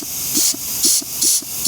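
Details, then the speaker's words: Mazda 3 automatic transmission removed and disassembled on the bench, clutch packs air-tested: four quick bursts of air hiss, each followed by a dull thump as the piston strokes. Both clutches apply normally. "hear that one, too. So, both of those clutches are coming on. So, everything everything looks good, like I've been saying."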